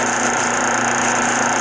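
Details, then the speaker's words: 1976 Westinghouse electric dryer, empty, motor with worn bronze bushing tilting the pulley: steady motor hum with constant dry rub and faint rattle as the belt rides against the tension idler. "Part of the noise on here is because of the rattle because the belt is riding against the idler, the tension idler."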